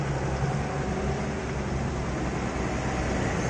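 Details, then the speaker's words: Motorcycle that is still fairly new, after adjusting the valve clearance that had caused ticking from the head: the engine idles smoothly and evenly with a steady low hum and no more valve ticking. "Ini sudah halus tuh gak ada ngelitik lagi kan"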